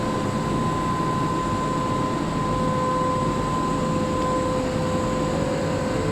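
A steady airy roar with a thin, constant high whine riding on top; the fan sounds off, but the cause isn't clear. Cause suspected, not confirmed.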